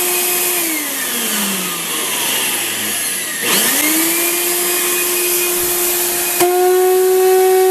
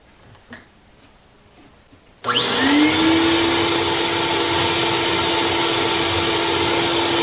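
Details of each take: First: Craftsman 12-gallon wet/dry shop vac with no suction: loud pure siren-like whine rising as the motor spins up, holding, then sliding down; debris clogging the fan blade vane ends so it cannot draw air. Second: Craftsman 12-gallon wet/dry shop vac after cleaning debris out of the clogged fan blade and filter and opening the baffle: motor spins up in about a second to steady rushing airflow, even hum, no siren whine; strong suction, normal.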